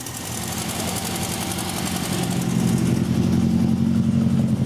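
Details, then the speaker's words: Rover SD1 engine with the leaking top hose temporarily bodged: smooth, even running that firms up and grows slightly louder, with no stumble or miss. "Listen to that. Well, that sounds a bit better, doesn't it?"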